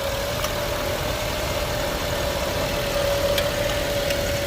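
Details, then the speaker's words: 2014 Nissan Sunny after IPDM repair for A/C compressor not working: smooth, even idle with a steady mid-pitched compressor hum on top; compressor engaged and healthy. "बिल्कुल कम कर रहा है। Compressor चालू हो गया"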